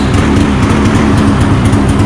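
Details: 2015 Polaris Switchback Assault two-stroke snowmobile, which previously would not start, just after new spark plugs were fitted: it starts on the second pull and runs steady and even with no misfire or stumble; the fault is fixed.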